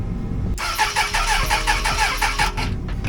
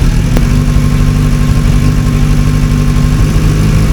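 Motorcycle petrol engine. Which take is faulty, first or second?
first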